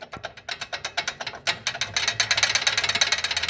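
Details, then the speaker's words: Chevrolet A20 pickup, front right (passenger side) wheel, caliper struck by hand giving sharp metallic clacks about three a second; brake pad retaining clip broken and loose inside the caliper; caliper to be removed. "Ela tem uma trava da pastilha e essa trava ela quebrou, ó. Soltinha aqui dentro. Ó o barulho que isso aqui faz."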